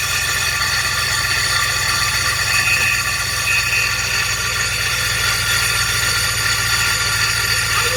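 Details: Starter drive gear on a GMC engine not retracting after start-up, grinding on the flywheel: steady hard metallic grinding with a high-pitched ring over the running engine.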